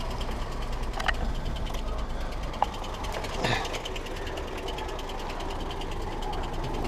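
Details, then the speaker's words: Smart car engine just topped up with oil, idling: uneven idle with light metallic rattle over low drone, best heard from underneath; internal rattle, cause not yet known. "the rattle is best heard from underneath so let me rev it up a bit"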